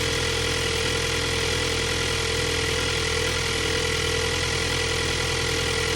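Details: 2022 Ford Bronco 2.3 liter at idle: fast, fairly even ticking, roughly three per second, over a steady idle hum; abnormal engine noise, source not pinned down.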